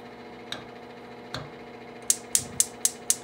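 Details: GE gas cooktop that kept clicking when off, after cleaning with Easy-Off; no noise when off, then five sharp clicks about four a second until the burner lights, normal igniter sparking.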